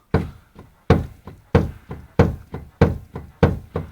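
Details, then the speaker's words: Renault Logan suspension knocking mainly in turns, stabilizer links and CV joints already checked fine: sharp, hollow clunks about every 1.5 seconds as the control arm is rocked by hand; worn ball joint. "потрясли за рычаги и слышим и видим конкретный стук шаровой"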